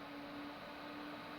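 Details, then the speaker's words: 2006 Mac Pro (2x 2.66GHz Xeon, GT 640) with fans set to max through SMC Fan Control. Steady airy rush with a constant mid-pitched hum; the machine gets loud with fans at maximum speed. "This machine gets loud. Let me put it on max. What I have freshly saved. Listen to that. Gets loud."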